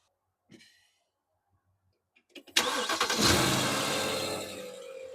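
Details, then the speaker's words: Mercedes M273 V8 with a new serpentine belt, starting and idling: thin, high chirping squeak from the accessory belt area; the cause, belt or a bearing, is to be checked by pouring water on the belt. "when this engine is idling there's a little bit of a chirping squeaking noise coming from somewhere up in this area"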